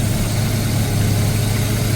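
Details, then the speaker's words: Mazda RX7 FC rotary, warm idle about 1,100 rpm after coolant change and flooding fix, no crankcase blow-by at oil filler; steady even low hum with no misses, running nice and smooth. "it seems to be highly nice and smooth"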